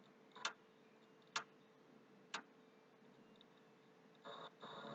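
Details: PS3 that is very slow to start, with the HD already formatted, replugged at the wall and powered on. Sharp single clicks about once a second near the HD over a faint hum, then a brief whir. Clicking noise, cause unknown, owner suspects hardware.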